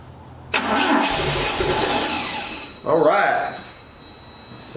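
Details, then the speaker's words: Abandoned 1980 Triumph TR7 with the 2.0 slant-four, first start in 7 years, with fuel squirted in after a rotor fix: it cranks, fires briefly, then dies back to cranking; ignition works, and the owner suspects a bad fuel pump and a rust-filled filter. "we know it got fired now we heard it hit off so now I know the ignition system's working but I'm thinking the fuel pump is just trash"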